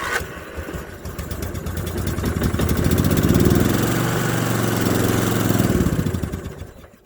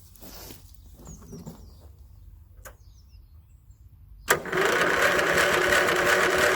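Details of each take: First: 1981 Westwood Gazelle W11 ride-on mower out of winter storage, low compression, after cleaning the fouled spark plug and priming fuel into the carb, third attempt: cranks, fires, steady single-cylinder beat for a few seconds then fades. Engine starts and runs. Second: 1981 Westwood Gazelle W11 ride-on mower out of winter storage, tired with low compression, choke on: steady even cranking that never fires; spark plug found fouled and cleaned with a wire brush.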